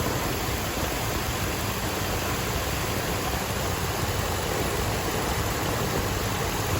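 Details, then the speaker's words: 2005 Dodge Ram 1500 4.7-liter V8 after water pump replacement with a brand new belt: steady, even idle with smooth low rumble and a constant hiss, no squeal, chirp or knock; the earlier noise is gone. "The water pump has been installed. No more noise."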